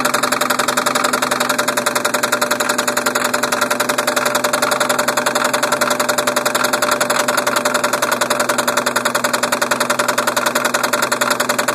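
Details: 1990 Toyota Supra turbo, 5-speed, running: steady, sharp metallic knock rapping evenly over the idle, engine knocking.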